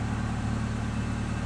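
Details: Toyota Corolla running E85 with a four-injector conversion kit; fuel pressure is the same as on 87 octane. No check engine light. Even, steady low hum at idle with no misses, knocks or hunting. Normal, smooth idle.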